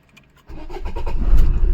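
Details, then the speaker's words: Maruti Suzuki Swift diesel that cranked but wouldn't start, restarting after a relay was cleaned with WD-40 and refitted. Brief crank, then the diesel catches and settles into a steady rising idle with no stumbling; normal start, then revved. "Car हो गई हमारी start. मैं accelerate करता हूं।"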